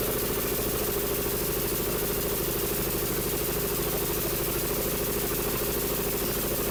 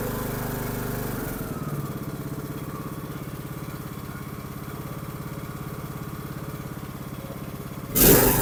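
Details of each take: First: Troy-Bilt Pony 42X riding mower with 547cc engine: uneven labouring chug that won't rev, throttle not working, acting like it's choking out; bent carburetor throttle linkage. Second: Troy-Bilt Pony 42X riding mower, after fitting the correct carburetor and linkage, with the brake on. Runs smooth and even at a steady speed with no misses or surging, much better than before: normal running.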